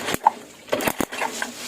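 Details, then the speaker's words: Yamaha Jupiter Z with lost ignition, spark plug removed, kicked over: sharp dry crackling snaps of a strong spark from the CDI-to-coil lead; the fault was traced to the pulser. "kedengaran ya percekan dari setrumnya Nah dari sini kan keluar ya besar ya"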